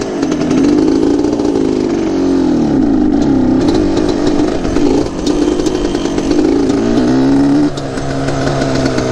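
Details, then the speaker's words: Dirty Yamaha Banshee two-stroke quad from Mexico, retested after checking the dirty air filter: buzzy revving, uneven, wavering and sagging; unclear whether it fires on both cylinders, cause unconfirmed. "let's see what happens now if it's as dirty as i think it was it should actually sound different i can't even tell if it's firing on both cylinders"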